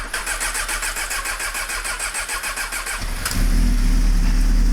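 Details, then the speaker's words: 1998 Honda CBR600 with airbox reassembled: starter churns about three seconds before the engine catches; slow to fire, then runs slightly rough, owner suspects a lean condition and carbs needing synchronisation. "why did it take so long to fire up do you need need to sink the carbs ho ho probably so"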